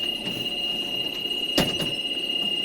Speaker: Then we're going to start our coach. We're going to hear the warning bell again because we're below that 5575.